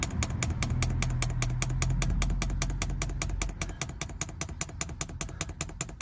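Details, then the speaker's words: Diesel heater being fitted in an LDV Convoy: dosing fuel pump ticking sharply and evenly about two and a half per second while priming, air bubbles coming through the line; normal fuel pump priming clicks. "all right that's going don't know if you can hear the pump clicking all right it's coming through bit of air bubbles"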